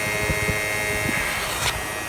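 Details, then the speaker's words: 2007 Prius electric AC compressor whining steadily at about 6,000 rpm, discharge line well over 200°F at about 68–70°F ambient; refrigerant very low after an owner can recharge, software keeps it running flat out. "That thing is just whining away at like 6,000 RPMs. It's trying to cool because the way this was designed with the software, it's trying to satisfy the customer. It does not know that it's low on refrigerant."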